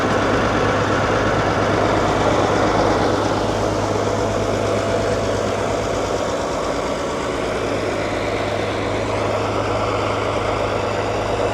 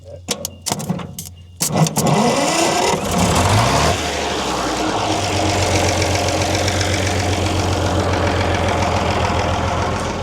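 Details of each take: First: Allis-Chalmers HD14 bulldozer, around 1939 and fitted with a 671 diesel, first start after sitting for years: steady, deep idle with an even beat near three per second and a rough, unusual exhaust tone. The engine is possibly derated and the cause is uncertain. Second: 1939 Allis Chalmers HD14 bulldozer with a 6-71 diesel, started after sitting for several years. A few starter clicks and a short crank, then it catches and settles into a steady, even idle.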